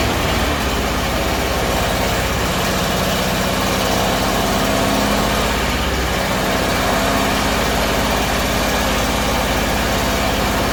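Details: Bedford CA (Rambo) being revived on a freezing −2° morning: engine idles with a lumpy, uneven drone that wavers instead of settling; owner suspects too much fuel from somewhere, cause unconfirmed.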